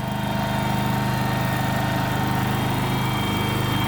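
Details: Kohler engine in a Terramite T5 mini loader, which previously would not stay running, after fuel pump replacement: smooth, even low thump at idle, no stumbling or dying; keeps running steadily.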